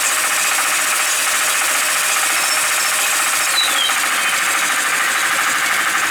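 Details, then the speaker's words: Home-made electric mountain bike, 8000W hub motor mid-drive through bicycle gears, rear wheel spinning at higher RPM: steady scratchy high rasp under the motor whir from bent spokes hitting; fixed by bending them back. Bent spoke rubbing. "What is that noise? Yeah, some of the spokes are bent on here. Just bend that back."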